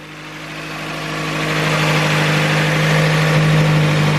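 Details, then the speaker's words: Datsun B310 Sunny Coupe with an SR20DET swap, engine run up during the build: an even, steady idle that firms up slightly, with no misses or knocks and a faint fuel pump hum that is now much quieter. Idle is normal. "again lovely that runs nice"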